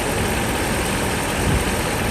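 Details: Mercedes S500 V8 at operating temperature after timing chain and guides replacement: dense, even low idle rumble with no knock or tick, sounding healthy.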